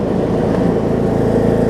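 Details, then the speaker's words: John Deere D105 riding mower, about 62 to 64 hours, gear transmission, revived after sitting for an unknown time: steady, even low hum from the single-cylinder engine, no surging, misses or knocks; running just fine now. "Got 64 hours on this thing. I mean, you can hear it's running just fine now. So that should be it for this."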